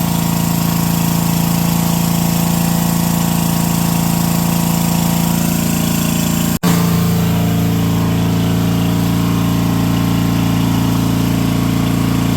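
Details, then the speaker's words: Brushless 10 hp junkyard generator (about 5,500 W), fed by an electric fuel pump and running without its air filter, powering a light and an angle grinder: a steady, even drone at constant speed with one brief dropout midway, otherwise smooth. "All right, that's not bad. I hooked an angle grinder up to this thing while that light was running, too, and it still didn't even notice it was there."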